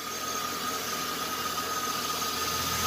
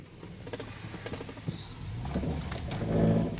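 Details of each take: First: 2002 GMC Sierra, likely 5.3 V8, 221,000 miles, alternator looks new and headlights bright. A quiet, even under-hood hum with a faint steady whine and no knocks or misses. Normal, healthy idle. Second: 2002 GMC Sierra idling low, same rpm in drive and neutral: low rumble with irregular loose rattles and taps as revs shift. Exhaust rattle suspected, not confirmed.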